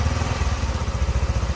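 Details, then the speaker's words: Honda Future 125 small single at 34,000 km, after cylinder head and clutch work, not fully warmed up; steady, even low thump at idle with no ticking or knocking on top; earlier knock gone; stable, healthy idle. "có được tốc độ không tải ổn định. Tốt đấy ."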